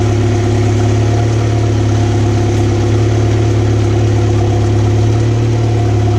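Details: 2014 Mercury 115 HP four-stroke outboard on a water hose, after a no-start was fixed by replacing the low-pressure lift fuel pump: an even, steady, smooth idle with no misses. Put in gear it runs on all four cylinders; at idle it drops about two.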